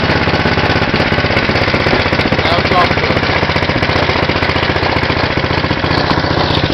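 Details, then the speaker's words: 6hp Tecumseh horizontal-shaft go-kart engine after a cold start on choke: fast, steady, loud, even single-cylinder thumping with no misses or knocks; strong motor running normally. "it's a very strong motor and I I think it's pretty good"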